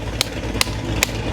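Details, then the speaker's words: Car at first start-up after a Stage 6 cam install: choppy, loping idle with a sharp bark about every 0.4 seconds over a deep rumble; aggressive cam lope idle. "That's how the chop sound. Crazier than Leo's."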